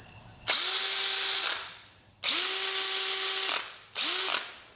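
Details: Cordless drill running on a home-rebuilt Snap-on battery pack: three trigger pulls, each whining quickly up to full speed and holding steady without sagging; drill and rebuilt pack healthy.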